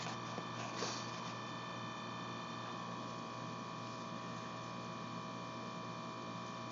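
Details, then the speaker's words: Homemade silent air compressor built from a salvaged mini-fridge compressor and a pancake tank made from a 5-gallon tank, cutting in near 60 psi and off at 100: a low, even hum with no knocks or rattles as it slowly builds pressure. Normal running. "When it gets down to about 60 psi, it'll come on. It'll shut off at 100. Okay, it just shut on. It just came on. It doesn't build real fast, but you don't use a lot of air for airbrush gun anyway."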